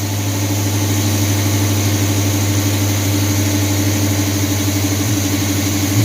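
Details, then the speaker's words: 1978 Chevy C10 350 V8 after new Edelbrock intake, water pump, belts, thermostat, hoses and valve covers: even, steady V8 burble at idle with regular loping beat, no stumbles; previous misfire gone, owner suspects old intake was leaking; timing seems right. "Oh yeah, sounds a lot better. Took care of that mist that it had. Used to have a misfire."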